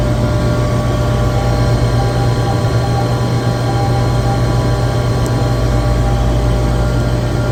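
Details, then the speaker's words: Chiller screw compressor checked with a vibration analyzer barely registers: smooth, steady deep hum with a faint constant high whine and no knocks or surges; a healthy, well-balanced compressor running normally. "this compressor which everyone knows the compressor should be well balanced but man it is barely barely even [Music] registering"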